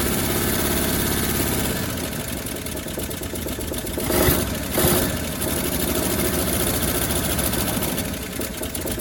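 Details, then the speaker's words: 1957 Chevrolet Bel Air V8 after sitting 30 years, gravity-fed from gas can: idles unevenly, stumbling and surging with loud flare-ups; running rough, cause not yet found, but stays running. "so wow that's pretty rough but she looks like she wanted to stay running"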